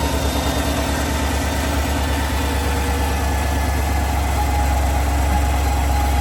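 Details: 2020 GMC Sierra 1500 pickup at idle: a deep steady rumble with a faint constant high whine above it; owner suspects a transmission bearing.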